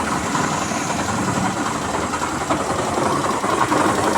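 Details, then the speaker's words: Hero Destiny 125 scooter after a half-engine job, now starting: a rough, gravelly metallic rattle runs continuously through the idle; diagnosed as main crank bearing noise, to be fixed by full engine teardown and bearing replacement. "अब start हो रहा है पर इसका जो है bearing आवाज कर रहा है मेन बेरिंग देखिए मैं आवाज भी सुना रहा हूं कि मेन बेरिंग का आवाज किस तरह होता है"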